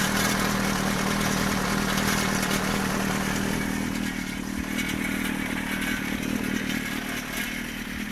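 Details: GSXR 400 (GK73a) engine at idle on its side stand: light, fast metallic top-end clatter over a steady four-cylinder idle, persisting through a rev blip; cam chain tensioner already replaced with no change, cause unknown.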